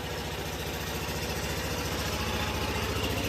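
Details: Onan generator set during a power outage, under load powering devices, a garage LED work light and a security light; steady even beat about three and a half pulses a second, no misses or knocks; normal running under load.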